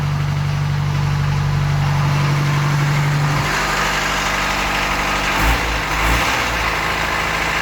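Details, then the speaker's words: Land Rover 2.25 diesel started after sitting a month, glow plugs held about 20 seconds, out of gear: steady even clatter, no misses or knocks, idle dropping a little low before raising it on the hand throttle; not smoking, healthy. "good idol's gone down a little bit low just not it up a bit on the um the hand throttle"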